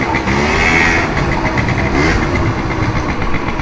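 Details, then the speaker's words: Honda Dio scooter, freshly cleaned, battery-less and direct-wired, running: busy rattling whir from CVT drive side over a quiet engine needing slight tuning; manifold cool. Noisy CVT gearbox. "lang yung sa gearbox. Tahimik naman yung makina, kailangan pa ng onting tono guys."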